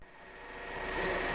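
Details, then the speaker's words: 2012 Chevrolet Captiva 2.4 16v idling, left running to warm up before transmission oil change: quiet, smooth idle with only faint injector ticking and power steering pump whine; engine very smooth, healthy. "que o motor sereno meu deus o barulho o barulho que está fazendo aqui é dos bicos e da bomba de direção hidráulica"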